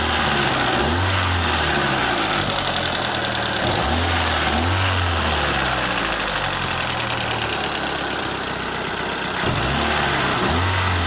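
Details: Toyota Corolla Ceres, 4A-FE engine, C50 manual gearbox, at idle: fast, fairly regular light ticking about four per second over steady idle; owner unsure if valve tick or shaft rattle in the gearbox; exhaust corrugated pipe also leaks slightly.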